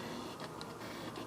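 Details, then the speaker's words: Sony FE 50mm f/1.8 lens mounted on a camera: short, high, strong whirring buzzes as it drives focus back and forth, a noisy autofocus motor the reviewer considers very primitive and cheap. "when the lens is installed on the camera, it buzzes quite strongly when focusing"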